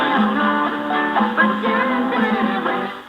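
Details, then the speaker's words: 1940 Zenith 6D510 portable tube radio playing on about 117 volts after capacitor work: clean, full music with steady volume and no hum, crackle or fading; normal playback. "that sounds pretty good"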